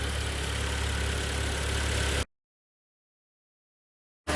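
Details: 2012 Hyundai ix35 G4KD engine, 124,000 km, after rebuild (block bored to 0.5 oversize, honed, new pistons, oil jets, polished crank journals), first start: steady, even low idle hum, no knocking or tapping; sound cuts out midway.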